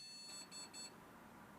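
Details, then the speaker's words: Water-cooled rig, Ryzen 5800X3D motherboard powered on from old power supply with graphics card not connected: three quick high beeps at power-on, POST warning no graphics card detected. "the card is not connected to this device. It works as usual, doesn't it?"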